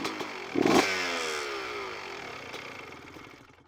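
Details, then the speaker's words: Two-stroke dirt bike (CR125) on a Lectron carburetor, air screw turned in (too rich): a quick blip, then a muffled, smothered note as it bogs and idle drops fast; overly rich air-screw position. "l'avez entendu juste là, il s'embourbe assez bien et le ralenti vient de tomber vraiment rapide si définitivement trop riche d'un position"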